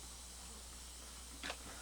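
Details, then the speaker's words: Sony stereo used as a comparison unit, tape on, volume part way: soft even hiss with a low hum under it and one brief rustle; standard normal tape background hiss, nothing wrong. "So it's got your standard hiss in the background. But there's no, but that's with the tape on."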